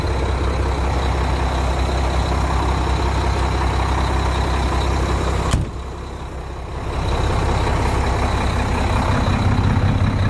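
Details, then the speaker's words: New grain truck at diesel idle, loaded with about 750–800 bushels of beans: steady idle, then a sharp pop and brief sound drop; sudden air release, owner suspects cab or dump bell after the suspension was dumped. "there we go sounds like got the air Le probably the cab that the dump Bell cuz I got the suspension dumped"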